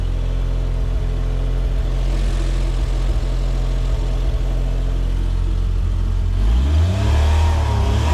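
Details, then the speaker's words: Autozam AZ-1 Suzuki Cara, engine still cool, after installing new fuel rail, fuel dampener and pressure regulator: idles steadily, then revs climb quickly and flatten around 4000 rpm, hitting a rev ceiling though idle seems smoother. "I'm just gonna rev it. Interesting. It only gets to 4 now."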